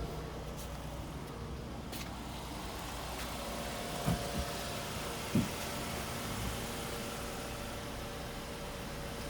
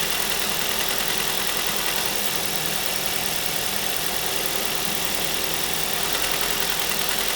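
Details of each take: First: 2005 Ford Mondeo LX that was burning oil (owner suspects stuck oil rings), just after an oil change with flushing oil added: idle is low, quiet and smoother with no smoke. Normal idle. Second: 2005 Ford Mondeo LX petrol engine idling while warming up: light quick clicking rattle of about three a second over the hum from rattling swirl flaps; clicking stops when a part is removed.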